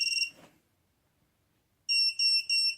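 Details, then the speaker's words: Mobula7 FlySky flight controller plugged into a computer by USB before the STM32 virtual COM port driver is installed: a short high chirp, a pause, then three quick high beeps; normal power-up tones. "beeping a few times and in the Windows Device Manager we can now see an exclamation mark here or a question wipe for the stm32 virtual comm port"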